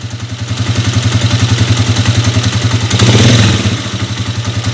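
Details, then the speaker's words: Honda TMX125 Alpha converted to 150cc, single-cylinder at idle before teardown: rough running with a dry metallic clatter on each beat. "Ayan pa yung problema niyang isa pag naka Menor may maingay na lumalagitik sa loob so titignan natin yun mamaya ah"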